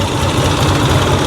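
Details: 1986 Harley-Davidson Liberty Edition Electra Glide Classic, revived after sitting 10 years, running during a stator output test (owner planned about 2,000 rpm). Steady, even low thumping with V-twin lope, no knocks or ticks. Normal running; stator reads 22–26 volts, good.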